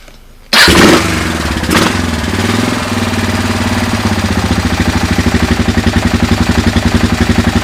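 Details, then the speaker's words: 2000 Kawasaki Lakota single that smokes and burns oil (owner suspects rings), just after an oil and filter change, started in neutral: starter whirs, it catches quickly and settles into an even, steady idle thump with no bad sounds. "mean it idles nice no bad sounds"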